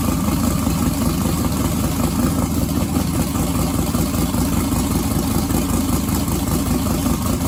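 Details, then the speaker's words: Twin-turbo 1969 Camaro pro mod, first start since the incident, loud busy idle with slightly uneven lope of about two and a half pulses a second; owner thinks it ran out of gas. Rough running. "okay so it sounds like let me tell you why it's out of gas so i don't feel uh don't feel as bad as i did originally"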